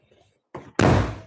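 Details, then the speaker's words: Nissan Altima trunk lid gives a brief thump, then drops fast and bangs shut hard with nothing slowing it; the lift struts are dead and the lid should close softer. "Oh, yeah. Those struts are pretty much dead. That should be a little softer clothes."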